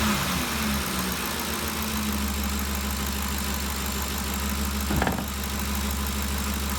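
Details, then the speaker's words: 2013 Ford Expedition V8 after valve-train repair for a loud ticking noise: smooth, even idle with a steady low hum and no ticking from the top end; the noise is gone. "as you can tell let me see that the noise is all gone if you remember before we could hear this thing picking real loud uh it sounds real good so i think we got it fixed"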